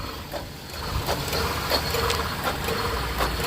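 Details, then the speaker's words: 2000 Honda CR-V, warm engine at idle on a 91-92°F day: sharp, irregular clicks as the AC compressor short-cycles; high-side pressure climbs very high with rpm, and the high-side switch temporarily loses continuity. "click click click click click it's clicking you hear it and look at my meter"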